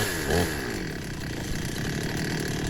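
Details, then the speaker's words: Two-stroke petrol chainsaw, long unused, just started after ignition coil replacement, warming up: steady fast buzzing note holding even at low revs, no hunting or misses; smooth idle. "Starting to go there, and as you can see I've managed to get it going. I'm just going to leave that to warm up a bit. it's revving high."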